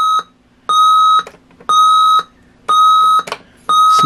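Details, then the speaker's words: 1970s GE 7-4816B AM-FM clock radio with two wake times, alarm test: even high-pitched beeps about half a second long, repeating once a second; alarm works normally. "let's set an alarm and see what it sounds like on the alarm okay there we go"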